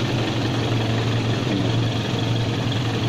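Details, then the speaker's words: Old budget used car, engine idling smoothly and evenly with a steady low hum, no ticking or knocking; body vibration low, suggesting good engine mounts; underside oil-damp but not dripping. Engine judged still in normal, good condition. "Jadi dia ini masih kondisi normal, masih kondisi bagus lah untuk di mesinnya."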